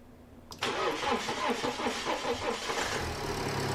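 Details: BMW first start after turbo rebuild and replacement, fresh oil added, plastics not yet refitted: brief crank, catches quickly, settles to smooth even idle with no rattles or whistles; no leaks, no smoke, sounds good.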